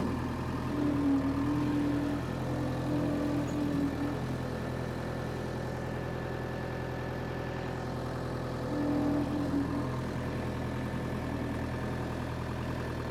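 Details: Power Trac 1850 diesel tractor after fluid changes: steady even diesel drone with mower turning, no knocks or misses, pulling its load cleanly; normal running under load.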